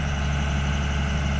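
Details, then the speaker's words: Komatsu 220 with a hard-starting diesel engine, now running after repair: a deep, steady, even rumble with no knocks or misses, idling smoothly. "Yan, napaandar na rin kita. Yan."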